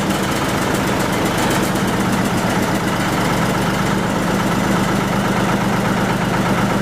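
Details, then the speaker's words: 1940 Lister JP3 diesel single-phase 230 V generator test run after water pump rebuild, top radiator hose weeping: low, steady thump holding even speed, no knocks, misses or surging; normal diesel running. "Anyway, we'll give her a test run. Give her a run for a bit and yeah, see how she goes."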